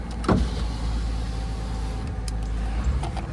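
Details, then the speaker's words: 1998 Ford Mustang convertible after sitting 10 years and a new fuel pump: steady electric whirr of window motors lowering all windows over low engine idle, even pitch, no binding; windows working normally. "Over here. All right, they're all going down."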